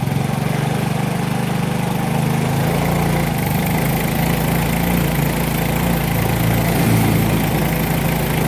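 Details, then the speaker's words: Yamaha Mio J fuel-injected scooter, fine cold but once hot it stumbles (brebet) off idle and bogs on throttle, worse under load; coil and ECU swapped with no change; note flutters instead of picking up cleanly, injector suspected. "jadi motor ini kalau kondisi dingin itu enak tapi kalau udah panas kumat agak brebet di awal Terus kalau di gas malah Mendem di gas mendem"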